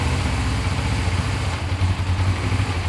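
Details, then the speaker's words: Suzuki GS500 twin: uneven, lumpy idle that dips and surges; sounds like an air leak but brake cleaner on intakes showed nothing, cause not yet found. "I'm just gonna have to figure out why it's running like this but it's okay that's something I can take care of later"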